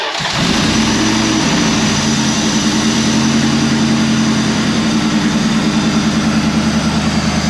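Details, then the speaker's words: 2004 Dodge Ram 1500 SLT V8, intake partly off, cam position sensor code: loud smooth even idle with no ticking or rattle from the front, countering claim of timing chain off; normal idle. "it's kind of loud i hope you can hear me i can't hear a note ticking from the front which would be the only reason the timing chain would be off like the other mechanic said"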